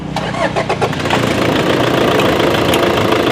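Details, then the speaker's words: Toyota Fortuner with piezo injectors, engine shaking and check-engine light, after replacing two injectors on cylinders 3 and 4 and before injector learning: starts easily, then idles with a sharp, rapid rattling knock. Injector knock before injector learning. "เครื่องยนต์ถือว่าสตาร์ทติดง่ายอยู่นะครับแต่มันมีเสียงเขกนะฮะในรถยนต์รุ่นนี้นะครับ"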